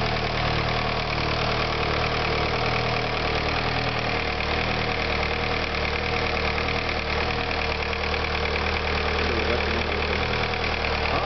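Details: VW Sharan started after engine repair; steady, even idle with a smooth pulse of about three beats a second, no knocks or misses — normal idle.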